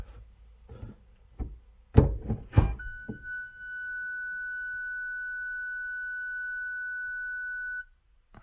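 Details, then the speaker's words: 2008 VW Polo 9N3 1.4 FSI (BUD), ignition on and reverse engaged: one long continuous beep of about five seconds then silence, no proximity beeps; fault warning from a failed rear parking sensor 7H0919275C, later replaced. "Donc quand je mets le contact et que j'enclenche la marche arrière, et bien j'ai un long bip continu et après plus rien."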